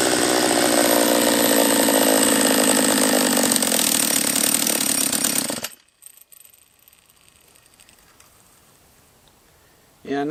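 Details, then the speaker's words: Refurbished Husqvarna 44 chainsaw after carb adjustment: screams at high revs for about six seconds, rough and buzzy, then cuts out. It is not running right, and the owner suspects a lower-end vacuum leak. "uh not a huge fan of the uh carb on this one not yet all right so it's not running right"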